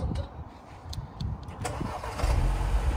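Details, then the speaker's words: 2013 Mini Cooper S R56, about 44,000 miles, starting: short starter whirr, then catches cleanly and settles into a steady smooth low idle with no rattles or misfires; starts up nicely. "so as you can hear that starts up nicely"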